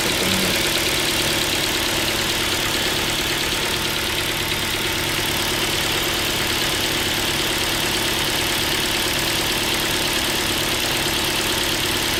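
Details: Ford Focus 2 with Duratec HE 2.0 engine warming up, coolant about 33–34 °C, held just above idle: light, roughly regular tapping about three times a second under loud running noise, resembling piston-pin knock; owner notes it fades as the engine warms, source not pinned down.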